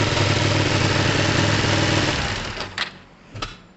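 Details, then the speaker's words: Kawasaki ER5 (Tamoretti retro) at idle with the air-fuel screws set at base. Idle climbs evenly, then dips and pops about every four seconds like a misfire, with a big drop on the right cylinder. Air-fuel screws suspected; cause unconfirmed. "see did you hear that it's like a misfire because it goes up perfectly and then pop every four seconds it's so weird"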